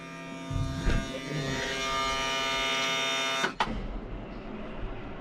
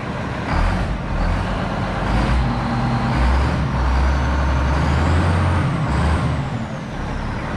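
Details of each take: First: Road grader diesel that sat long; fuel shutoff solenoid spring too weak to pull shutoff lever fully forward, lever in normal position: steady buzzing whir cranking about three seconds then stops; hard starting, long cranking, owner says not the fuel. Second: Road grader diesel after starting problem work and installing accessories, charging 14 volts: deep rumble catches right away without long cranking and settles to steady even run; starts easily, normal start.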